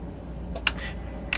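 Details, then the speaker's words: Mercedes S600 Egas throttle module on the bench, ear held to the secondary throttle after the throttles were repaired: a couple of faint coil clicks, but no motor whir and the plates don't move; the motor circuit is fried from shorted wires. "yeah, okay, good. So at least the coil activates on this one, but the motor circuit is totally fried."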